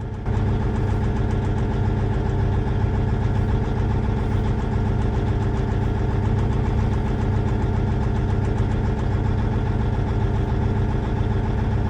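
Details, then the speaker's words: Versatile 2360 tractor, Cummins N14, scanner cylinder cutout test: idle turns uneven and lumpy with the first cylinder cut, so that cylinder fires properly; number 5 cylinder later suspected. "Well, that made it worse. Go back, we'll go to cylinder 2."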